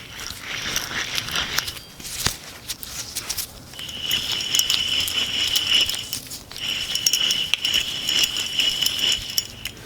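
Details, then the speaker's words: Old rear wheel bearing removed from 2013-17 Honda Accord Sport, which hummed from the rear while driving, spun by hand; gritty uneven crackling rattle versus silent new bearing, confirming a worn bearing. "is the old one and here is our new one can't even hear it so that confirms this wheel bearing is just bad"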